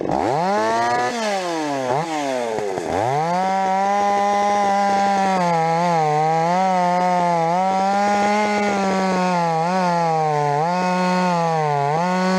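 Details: Rebuilt Stihl 026 two-stroke chainsaw, cutting: revs up and bogs in the cut, note dipping with load, occasional pops near full throttle; mixture tweaks didn't help, owner suspects spark plug too hot, unconfirmed.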